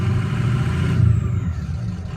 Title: 6.0 powerstroke rough idle. Bad ICP?